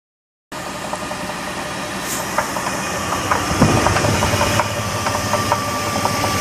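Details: 2000 Jeep Grand Cherokee 4.7 V8 idling with a fairly regular light upper-engine knock, about four a second, plus faint chirping and squeals; cause unknown.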